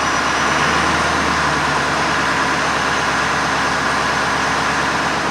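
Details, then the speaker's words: 2007 Ford F250 6.0 Power Stroke diesel, cold start, idling with steady clatter and faint uneven stumble; slight miss and vibration at cold idle, appeared over last week, before Seafoam treatment. "I can feel it. There's a slight vibration."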